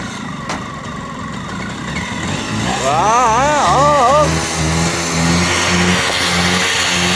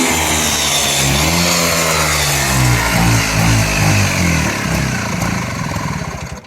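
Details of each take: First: Bajaj RE two-stroke autorickshaw, cold started after years of storage on an oil-petrol mix: it fires and settles into a steady two-stroke buzz, rises briefly when revved, and keeps running evenly without dying. Normal running. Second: Bajaj RE two-stroke autorickshaw, cold start after years untouched, fed an oil-petrol mix: it finally fires with some smoke, then revs and buzzes unevenly with a wavering, stumbling beat. The roughness comes from long storage.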